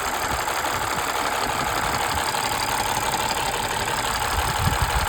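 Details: Warm petrol engine at operating temperature, idling with a fast, uneven valve ticking clatter rising and falling; owner blames engine oil thinned by blow-by gas after a long overdue oil change. Cause suspected, not confirmed.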